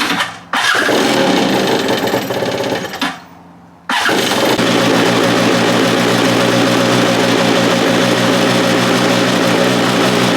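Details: Stand-up two-stroke jet ski on land with a flush hose, after the carburetor fuel pump parts were found set up incorrectly and fixed; earlier it bogged and would not rev. Brief cranking, a stumble, then a crisp, steady buzz: it runs properly.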